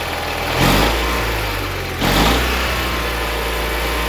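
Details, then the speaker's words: Allis Chalmers 917 hydro garden tractor after a carburetor cleaning, now running with the choke off: small engine revs up cleanly twice and settles back to a steady, even run; throttle response healthy. "Throttle's working. Sounds pretty good."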